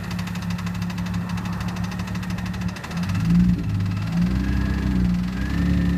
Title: E46 ZHP ESS TS1 rattling or knocking noise #1